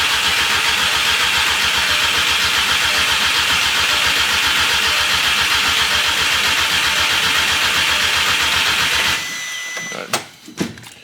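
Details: Crank-no-start on an MK6 GTI with its replacement engine just installed: steady starter cranking at a regular beat for about nine seconds with no firing, then it drops off. Fuel could be smelled, and an ECU swap was planned next.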